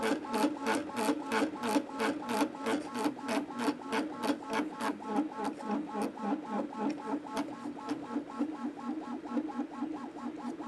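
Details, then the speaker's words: Anycubic Kobra 2 3D printer moving its head: loud, fast rhythmic buzzing about three pulses a second; the cheap injection-molded base resonates and amplifies motion noise. "his is why I don't like it when companies use cheap injection molded bases for their machines because it just adds a bunch of extra noise there's a bunch of additional resonances and basically you get this sound amplification going on and it makes it kind of loud and obnoxious"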